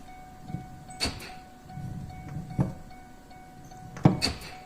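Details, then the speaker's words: 2007 Chevy Silverado 2500 HD 6.6 Duramax: three quick lock-actuator clunks as the door opens, the power locks firing on their own; owner suspects broken wires in the door boot, though moving the boot doesn't reproduce it. "Seems that when I open the door, the power door locks activate. So I suspect there's some broken wires in this boot in here."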